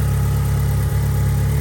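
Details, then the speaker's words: 1990 Mitsubishi Eclipse GSX first start after an oil change, with a little oil spilled from the dipstick that should burn off: steady, even low rumble with no knocks or misses, settling into a smooth, healthy idle. Normal idle. "All right, she is alive. I spilled a little bit when I pulled the dipstick. That'll burn off, but other than that, she's doing pretty good. Not too bad."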